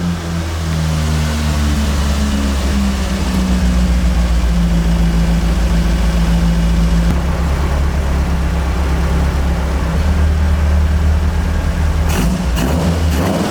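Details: Carbureted AE86 build on a temporary throttle setup: a deep, even note rising and falling cleanly with throttle, with no misfires. It is now healthy, and the owner concludes the Weber carbs were the earlier problem. It is still slightly smoky, with a coolant leak.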